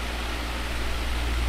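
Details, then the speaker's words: 2002 Midea 16" oscillating pedestal fan with mesh grilles, before cleaning, unused for months in storage, at high speed: a smooth, even rush of air with a low steady hum and no ticks or rattles. Normal running with the classic mesh-grille timbre. "my number one childhood fan which was an 18-inch super pedestal fan with mesh grills still looking for one of those had that exact sound um it sounded a little bigger but obviously because of an 18 inch fan but that that Timbre of the sound was just spot on with this"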